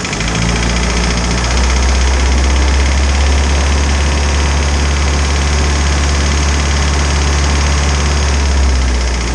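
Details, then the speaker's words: Isuzu 4BD2T diesel in a snowcat after new head for exhaust-to-coolant leak, warmed up with thermostat open around 170: steady, even diesel clatter at idle with no misses or knocks; idle sounds normal, higher rpm noisy. "so at idle it sounds normal the higher rpms are just noisy on these little motors"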